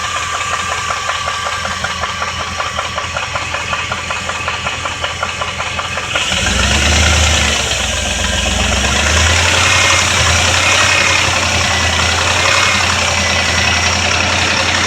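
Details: 2001 Jeep Grand Cherokee 4.7 V8 that died at a red light, then restarted after towing: a steady light idle tick, about four per second, speeds up when revved; owner unsure if lifter, flywheel, timing chain or rod knock.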